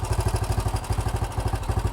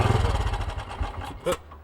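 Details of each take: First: Old BSA with starting problems, after turning up the idle screw and setting the carburettor mixture screw: steady thumping single-cylinder idle about three beats a second, holding on its own; idling healthily. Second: Old BSA motorcycle with new carburettor: single thumps slow and thin out, dies within about a second and a half, won't hold idle; carburettor setup suspected, not confirmed.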